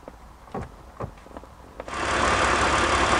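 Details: BMW E46 330i/325i after a repair for lean codes P0171/P0174: a few clicks, then the engine catches and settles into a steady, even idle with no hunting; fuel trims back to normal.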